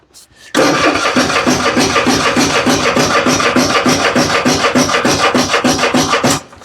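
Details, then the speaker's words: Husqvarna riding mower with Kohler 7000 series engine, new starter and carburetor fitted: even starter chugging about three and a half strokes a second for six seconds, cranks but won't fire; fuel flow problem at the tank found. "She still ain't fired. What in the, I don't understand."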